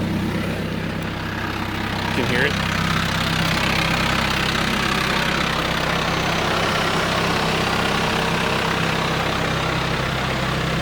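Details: TDI with a newly fitted DKM stage two clutch and single mass flywheel, at idle as the clutch pedal is released: an uneven light gearbox rattle that is louder on the gearbox side, expected and reportedly harmless.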